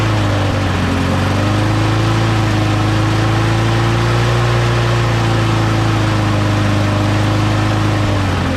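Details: Small engine, just blown out and cleaned with an air compressor, reassembled and primed three times, gives a steady, smooth hum with even firing and no hunting or rattles; it sounds healthy and settled.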